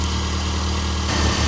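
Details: A Subaru with about 80,000 on it was noisy for up to 10 minutes after a cold start from timing belt slap, likely a lazy tensioner. After the timing belt and tensioner were replaced, it gives a smooth, even idle with no slapping: normal idle.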